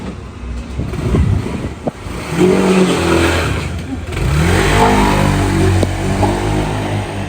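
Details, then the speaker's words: Honda PCX scooter after repair: the fault was a bad fuel pump (ignition-on gave a tick but it wouldn't run). Now it revs crisply, pitch climbing and falling smoothly with each throttle blip, with no misses or stumbles; normal revving. "Bakın şu an motor canavar gibi gidiyor. Onu da gösterelim."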